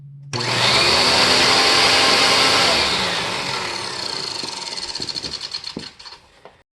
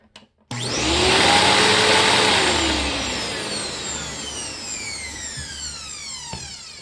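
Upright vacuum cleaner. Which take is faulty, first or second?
first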